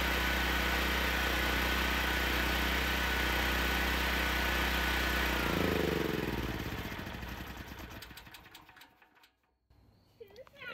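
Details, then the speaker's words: Generac GB6500 generator with COSense starts, runs steady at even speed for several seconds, then a light flashes about three times and it winds down and quits by itself; engine starts then shuts down. "I don't know if you saw it that light flashed about three times and then it quit that's what it does it just stops"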